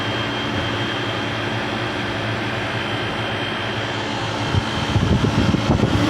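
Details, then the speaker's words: Old water-cooled Traulsen fridge converted with a scrapped walk-in condenser coil, R134a, just switched on with the section still warm: the condensing unit and condenser fan run with a steady even hum and constant high tone, no knocks, normal running. "running everything's running get a condenser fan pulling out that air"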